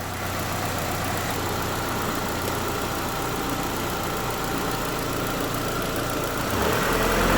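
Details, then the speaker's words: Chevrolet Lacetti 2007 1.8 L, cold engine, after fixing tapping intake manifold flaps, run with the valve connector on and off: even, steady idle with a soft regular beat and no tapping; works fine. "одинаково что так что так то есть отлично работает все"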